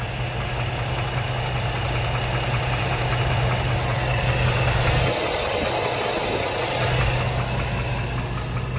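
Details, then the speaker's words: 2005 Dodge Ram 1500, 5.7 Hemi V8 at idle: steady idle with a loose, fairly regular knock, roughly three or four a second. Owner suspects a lower-end bearing; others suggested the flexplate. Unconfirmed. "Yeah, man, I think it's the bearing. I definitely think the bearing's bad on this. And it just sounds like a lower end bearing, man. It don't sound good at all."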